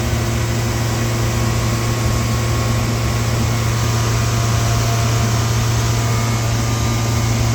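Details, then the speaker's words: Through-the-wall AC condenser running after the condenser fan motor was restarted: steady low compressor hum with a coarse rattle underneath, like rocks or loose parts inside; internal compressor rattle. "This compressor definitely sounds better. Actually, I take that back. This compressor still sounds like it got rocks in it."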